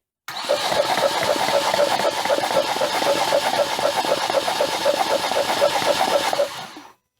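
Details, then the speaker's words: Flood-damaged engine with a cracked head, cranked with plugs out: quick, steady cranking about four beats a second for six seconds while water and fuel spray out of the cylinders. "and that's water and fuel spraying out of it crank it one more time let's show the people pretty much we're down to fuel so I think this thing will run"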